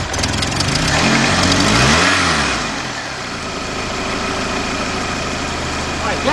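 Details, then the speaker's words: 2002 Honda Accord 2.3 with cranks-no-start after losing power and shutting down, now running after finding bad spark plug wires and cleaning the plugs: a short crank, then it catches and idles. It threatens to stall on throttle, and fuel pressure is still questioned. "we got it running but I noticed that when I hit the accelerator it's like it likes want to stall out"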